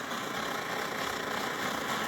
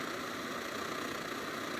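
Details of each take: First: SVEA 123R stove, a circa-2014 model, which also candles and won't shut off fully: steady roaring hiss swells and fades unevenly with yellow-tipped flame, burner pulsing instead of burning steady; cause not yet known. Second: Newer (circa 2014) SVEA 123R stove, previously prone to flame pulsing, fully warmed up after repairs: an even, steady hissing burner roar with no pulsing.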